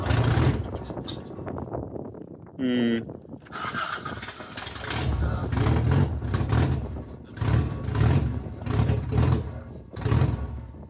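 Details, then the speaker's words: Rebuilt 4AGE engine in a 1975 Toyota Corolla KE35, first run, no exhaust fitted: very loud, catches and surges in uneven bursts and sags between blips; it won't hold idle and the cause is unknown. "I'm not sure why it's not idling. I don't know why. It's very, very loud."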